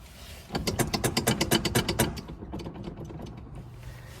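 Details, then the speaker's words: 1970 Ford Mustang Mach 1, steering column loose: a burst of about a dozen quick clunks, roughly eight a second, as the wheel is rocked; excessive play from worn steering box. "steering column somewhat loose let's see so much play and you can hear you can hear the steering"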